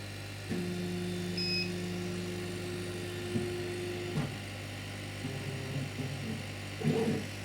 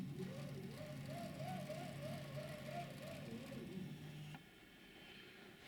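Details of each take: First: Chinese laser cutter after fire damage, new drive belt fitted, first power-on: steady stepper whine about four seconds then short moves and clicks as the head homes to zero, smooth with no slipping or chatter; no further damage found. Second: Chinese laser cutter after fire damage, new timing belt fitted and tensioned with a bracket: stepper motor hum rising and falling about twice a second as the head moves, from the small stepper drive pulley running off-centre varying belt tension.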